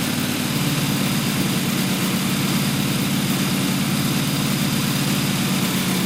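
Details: Newly built blown 355 Chevy V8, Weiand 6-71 blower, two Holley 600 carbs, solid roller cam; steady even idle with deep throbbing beat, no misses or knocks, running well.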